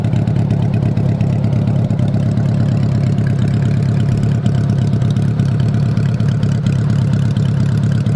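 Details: 1985 Honda Goldwing GL1200 flat-four idling with the exhaust off after carb cleaning (3 of 4 jets were clogged); loud open-pipe burble at steady idle with even pulses and no misses or stumbles. Normal idle.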